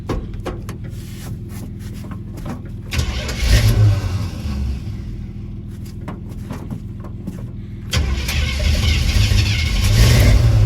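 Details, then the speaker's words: 1983 Chevy C10, Mr Goodwrench 350ci crate motor, cammed, 500cfm Holley 2-barrel, no choke, cold start: starter cranks, engine catches and stumbles, cranks again, then revs rough and uneven before settling; does fairly well without a choke. "yep now keep in mind this thing doesn't have a choke so all things considered it does pretty good"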